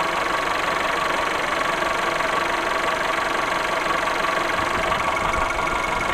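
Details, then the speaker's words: VW Golf VI 1.4 TSI (CAXA) brought in for a loud clattering; after a small part was replaced, the same ringing returns. Light metallic ringing tick about three times a second over an even idle. Cause not yet pinned down; fuel pressure to be checked. "so beide wieder das gleiche klingeln ist wieder da"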